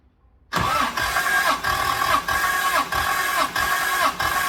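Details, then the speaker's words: Toyota 7M engine cranking on the starter during a compression test: even, steady beat of about 95 pulses a minute with no weak strokes; cylinders read roughly 160–170, which is healthy. "170 compression test is done so that's all not too bad uh so i had about 160 something 170 170 um 165 168 160 something so that that's all pretty good"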